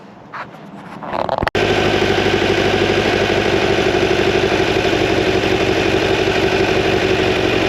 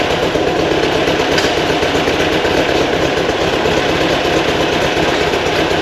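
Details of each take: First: New 2180cc VW Beetle engine for a 1968 single cab at first start/break-in, main jets upsized to 145s, warming up with a mixture probe: steady lumpy idle about four beats a second; still slightly rich, targeting 12.5–14 air-fuel. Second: New 2180cc VW air-cooled engine for 1968 single cab during break-in, timing set, idle around 1200 rpm: steady, even chatter a bit above normal idle, no misses or knocks; healthy fast idle.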